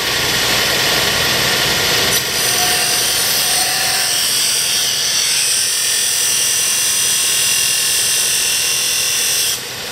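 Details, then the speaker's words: Kalamazoo S612-3 6-inch belt and 12-inch disc sander: steady smooth high whir with no grinding, knocking or rumble; healthy bearings running. "you can hear the barians are still in that shape"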